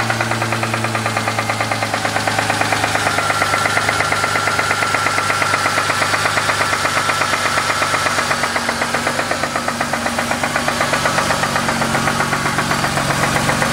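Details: Ford Mustang engine: steady, fast rattling knock running evenly under a constant engine note; the source is unknown, and the owner suspects the valvetrain but is not certain.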